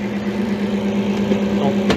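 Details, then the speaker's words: Walk-in cooler condensing unit restarted after rewiring during an evening service call: steady low hum with laboring drone, condenser fan sounds bogged down; tech suspects it may trip on thermal overload, possibly liquid slugging. "That fan didn't sound too good. It seemed a little bogged down."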